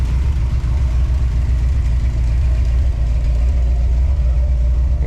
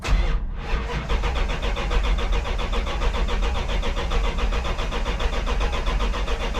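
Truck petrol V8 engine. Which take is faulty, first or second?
second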